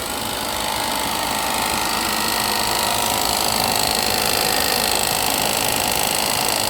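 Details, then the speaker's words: Engine idling just after startup during a coolant leak check on a car whose customer asked for a water pump: light, rapid clattering tick about four per second; source not yet found. "And I hear something making noise on this thing too."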